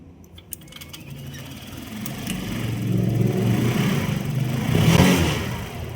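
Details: Honda Click 125 scooter revving up and easing off with uneven mechanical clatter over the drone; noise appeared suddenly and idle is lacking; mechanic suspects cam chain tensioner or timing chain needs replacing before opening the head.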